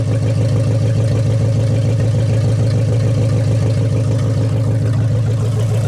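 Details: 1956 Studebaker Golden Hawk V8 at its first start in 50 years, smooth, even idle with no knocks or misses; carburetor and mechanical fuel pump working well, with only some fine tuning left to do.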